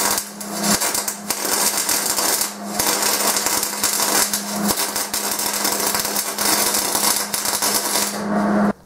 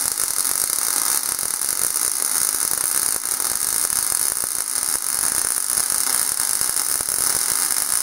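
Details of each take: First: MIG welding with wire feed speed set too slow: uneven, hissy arc crackle with brief dropouts over a low hum, producing a thin, bulbous, splotchy bead. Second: MIG welding arc at the correct wire stick-out: an even, steady frying hiss with no pops or sputter. Holding the torch too close or too far would make it sputter. The result was a smooth bead with good fusion.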